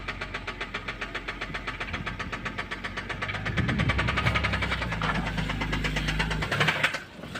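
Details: BMW E90 325xi N52B25 engine: steady fairly quick metallic knock, three or four per second, over idle; owner asks whether a spun bearing shell or the oil pump is the cause, unconfirmed.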